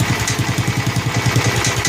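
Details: Snapper Hi-Vac commercial mower with Robin/Wisconsin engine, running with a leaking carburetor that needs a kit: steady, even single-cylinder beat, no misses or knocks; motor sounds good when running correctly.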